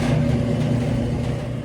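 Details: Whirlpool-made Conservator dryer after replacing bad heating element (279838), thermostats tested good, running and heating again: steady, even low drum-motor hum with no scraping, thumping or squeal; runs normally.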